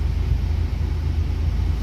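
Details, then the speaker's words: Proton Waja MMC automatic after genuine Evo9 stepper motor fitted and reset, power steering switch unplugged; A/C at full plus lights on: steady low idle hum, even and unwavering, relearning and holding stable. "On kan lampu tarik dia punya current sikit. Okey. Stabil bagi dia learning balik."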